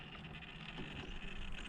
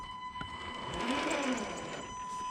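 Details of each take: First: Traxxas TRX4 crawler with a Hobbywing 1080 brushed ESC whose PWM frequency was set to 16k: at light throttle only a soft, low gear-and-drivetrain rumble is heard, with no motor whine or buzz. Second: Traxxas TRX4 crawler on the stock ESC at low throttle: a steady high buzz near 1 kHz over soft gear whir from the low PWM frequency, before switching to a Hobbywing 1080 ESC set to 16 kHz.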